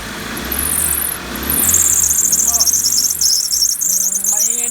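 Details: Diesel engine at idle with a shrill, sizzling high-pitched squeal from a slipping engine drive belt.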